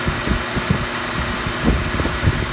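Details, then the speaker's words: Volvo two-piece reverse-slip driveshaft, spinning: steady rumble with a coarse, gritty note and uneven low thumps underneath; noisy center support bearing. "This bearing is noisy, just like they all are."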